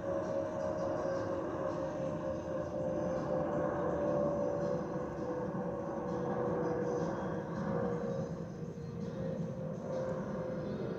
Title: 💛🖤💛Spirit Airlines Airbus A319-132 N521NK NK336 MCO-DTW (FOPP whistling sound)💛🖤💛